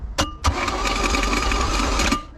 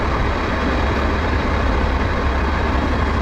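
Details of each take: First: Boat engine with a Rochester carb, found full of water with milky oil, on its first crank after the starter was installed: a steady starter churn with a thin whine for about two seconds, turning over without firing. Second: Restored outboard boat engine under load on the water after restoration: steady deep drone holding even, no misses or knocks; running healthy.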